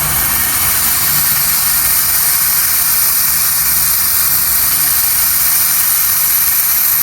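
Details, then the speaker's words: Mitsubishi Evo turbo build, dyno prep boost leak test: loud steady high-pitched hiss of pressurized air escaping past the fuel injector O-rings right by the intake manifold; leak confirmed, as expected. "So, we just did the boost leak on it. It is leaking um the O-rings on the injectors. Uh that's leaking on there."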